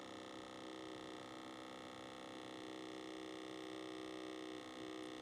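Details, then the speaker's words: Truck HVAC actuator, refitted after coming out misaligned, key on with heat selected: steady electric buzz pulsing about four times a second; owner suspects it is still calibrating, or possibly completely faulty. "don't like that sound it's making, really. Okay. Yeah, I think that thing is. I think it's still trying to calibrate itself."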